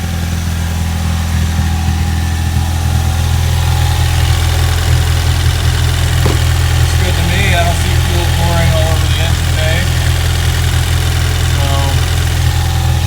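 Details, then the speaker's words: Ford EcoBoost after replacing the low-side fuel pressure sensor, fuel rail primed several times before starting: engine starts and settles into a steady, even low hum with no misses, knocks or hunting; normal idle. "go to start it and there we go car started let's go make sure there's not fuel pouring all over the Internet"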